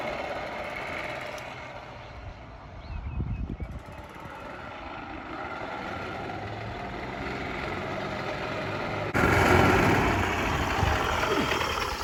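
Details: Yamaha golf cart revived after sitting 6–7 years, driven home: small engine drones at an even, quick beat under load over wind and road rush, pulling steadily without sputtering. Runs fine.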